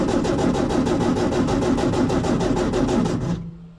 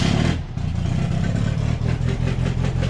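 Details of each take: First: Baja engine after fuel system repair, spark confirmed; even starter cranking at about three compression beats a second, nearly runs but never catches, crank no-start from fuel starvation, and it ran once fuel reached it. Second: Baja starting after a fuel system fix (all it needed was fuel), before warm-up: it catches and settles into a steady, even low rumble with a quick rev, no knocks or misses. Normal running.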